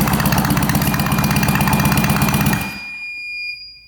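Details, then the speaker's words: 1966 Yamaha YL1 motorcycle, not run in at least 15 years, compression test on the electric starter with throttle not open, reading about 120: even, strong cranking beats about four a second for 2.5 seconds; good compression. "Right around 120. That is actually pretty good. I was expecting a lot less."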